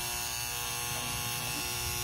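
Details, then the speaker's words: Used Rain Bird Professional sprinkler controller from Goodwill, just plugged into mains. Constant high, ringing electrical buzz with no rhythm, louder than a healthy transformer should hum; the owner believes something is wrong, though the display works. Cause unknown. "so I plugged it in it's making this ringing sound I know if you guys could hear that [Music] so there's definitely something messed up in this don't believe it should be making that ringing sound"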